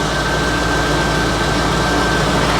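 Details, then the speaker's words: 1990 Corvette C4 V8, manual, low mileage, barn find after 30 years, running on old fuel. Steady, even idle with no knocks, misses or hunting, just a faint constant whine over the rumble; seems happy again after a temporary blip. "Seems happy again. Brakes seem fine, don't they? Seems happy again, don't it? Yeah, it must have just been a temporary blip."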